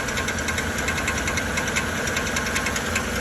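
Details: 2013 Chevrolet Silverado 1500 5.3L: uneven knocking, two or three a second, over the idle; starter drive gear slides out and stays engaged with the flywheel instead of retracting; not a flywheel problem; starter to be replaced.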